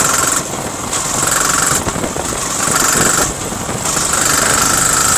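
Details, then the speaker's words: Yamaha R15 V3 motorcycle, riding in gear: uneven "kat kat" knocking under the engine buzz; starting is fine, owner attributes it to engine oil mixed into the petrol tank, recommends carbon cleaner instead; suspected, unconfirmed. "तो friends आप देख ले की bike में किस तरह से cut cut cut का साउंड ए रहा है"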